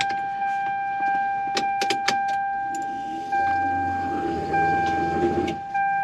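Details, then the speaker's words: Toyota Supra 2JZ-GT non-VVT-i, ignition on and engine off, fuel pump run through a voltage regulator that sets its flow: a steady electric whirr priming at an even pitch, getting louder when turned up. Normal fuel pump prime. "hear the fuel pump priming look i'll do it again i can make it sound really really loud check this out"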